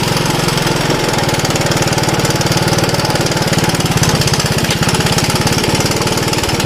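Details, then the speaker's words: Honda ATC185 three-wheeler, auto clutch, new right-angle air filter, test ride: crisp even single-cylinder firing picking up cleanly as throttle opens. Normal running. "when i first spun her up i did a first second shift pretty hard and the front wheel came off the ground so uh yeah this is a nice little toy"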